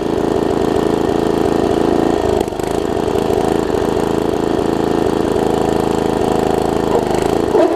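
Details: Troy-Bilt Tomahawk (Gardenway) chipper after its varnished carb jet was cleaned: the engine runs steadily with an even buzz and dips briefly as the chipper slowly engages, then recovers; it runs fine.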